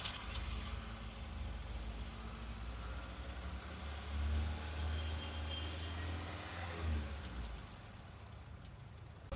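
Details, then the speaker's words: Engine rebuilt with original parts after oil sludge damage, idling during break-in with gentle light blips; smooth and even, the earlier knocking gone, sounds healthy. "Jadi kita bisa dengerin suaranya sekarang sudah halus banget dibanding waktu datang, klotok-klotok sudah hilang, normal kembali."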